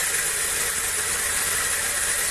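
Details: HobbyCNC PRO board, 3 A stepper motors with current set to 0.42 V at the test points: steady thin high whine from the switching frequency over a soft hiss; motors energized and locked, holding normally.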